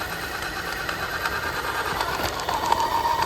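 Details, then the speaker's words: FTX Zorro brushless RC car after a 27 mph run, ESC hot at 46°C: rapid light clicking over the motor whir only at low speed; owner suspects metal gear meshing on plastic, not yet inspected. "Yeah, got this funny gear noise, people. I don't know what it is. It's only there, that clicking."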